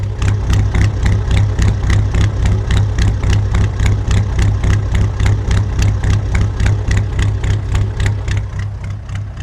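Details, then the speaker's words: Ford F350 with an air-cooled Deutz diesel, idling cold and smoking until warm: loud, rattly diesel clatter at a steady rhythm of about 3.5 beats per second, even throughout; healthy normal idle. "But you can hear it's got a very unique sound."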